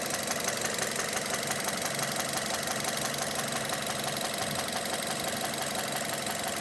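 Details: 2006 Mazda 6 GG 2.0 at idle: a sharp, regular knock about three times a second from worn, spun cylinder 1 connecting rod bearings; oil starvation from stuck oil control rings (300–500 g oil/day); fix is replacing the rod bearings.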